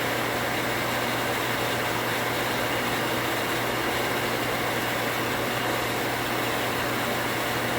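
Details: 240V water pump after pressure switch rewire to a new switch cutting off 10 psi higher: steady, unbroken motor hum, no switch chatter or short cycling; contacts activated at 45 psi while pressure built.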